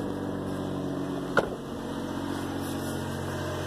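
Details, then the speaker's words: 2003 GMC Envoy 4.2 V6 after replacing a bad coil pack and all spark plugs to cure a sudden misfire: a steady, even idle with a smooth low drone and no stumble. The misfire is fixed. "he's running pretty damn good"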